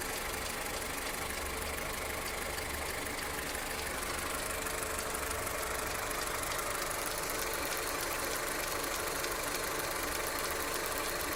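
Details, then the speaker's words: Skoda Octavia Tour 1.4 16v, 630,000 km, hot after half a day's driving, no error codes, running smoothly at idle: fast, fairly regular light tapping about two per second over the engine; knock of unknown origin, cold start check planned. "Ошибки не горят, двигатель работает ровно, но появился настораживающий звук."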